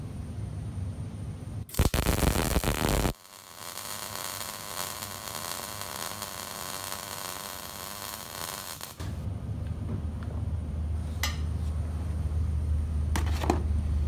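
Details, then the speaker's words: MIG welder, second pass on the same bead: steady dense crackling sizzle like frying bacon, no widely spaced pops, indicating correct setup. "and the beads look similar but you heard that really quick uh you know the bacon frying sound rather than the uh the uh you know popping"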